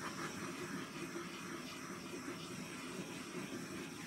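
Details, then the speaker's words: Gas torch used on an acrylic pour, which sounded weak because it was nearly empty: a steady, even roaring hiss with no sputter or surging. Normal torch flame, working better now. "See, you can hear it. You can hear it, that it's working better right now."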